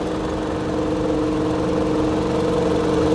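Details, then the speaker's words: 2001 Toyota Highlander 2.4 L, battery light on while running: steady idle hum with a low, slightly uneven beat on battery alone, voltage dropping toward 11 V; failed alternator not charging, engine will die. "it idle for a little longer it's gonna die the engine is going to shut down"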